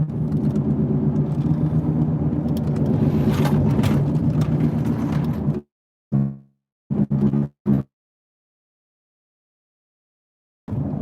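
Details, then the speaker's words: Used car on test drive; steady low road drone with slow rhythmic woo-woo wavering about four times a second; driver suspects it needs wheel bearings, not confirmed. "Woo, woo, woo, woo, woo, woo, woo, woo, woo, woo, woo. But I'm telling you right now, this bad boy needs some wheel bearings."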